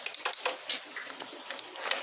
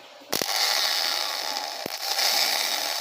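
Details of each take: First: Dafra Zig 50 cc scooter that won't electric-start: key on, start pressed with brake held gives only scattered light sharp clicks, no cranking; battery and starter relay checked next, cause unconfirmed. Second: Dafra Zig 50cc scooter starter motor, rebuilt and bench-tested directly on the battery; repeated short bursts of high, even whirring as it spins up freely counterclockwise, smooth with no grinding or catching; starter working properly.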